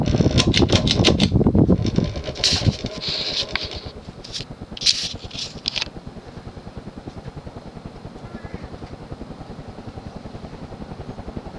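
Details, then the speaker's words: Early-1980s Sears ceiling fan made by Emerson, 54" span, plastic blades on 15-degree irons, three-speed: a few clicks, then a soft, even running moan with a steady beat. The motor sounds normal. "motor has a slight running moan to it which i think is cool"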